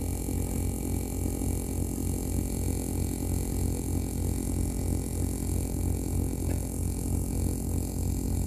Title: Astra H Cd 30mp3 strange noise from loudspeakers